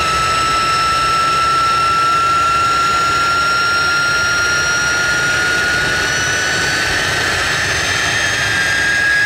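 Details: Jet truck turbine, first start after winter, fuel pump worked on and clogged fuel filter cleaned: smooth loud roar, clean high whine creeping upward as it spools, steady; runs better than ever, normal turbine run.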